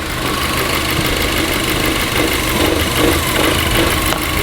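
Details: VW Golf GTI idling lumpy with a faint airy hiss over the engine; vacuum leak from a snapped vacuum pipe.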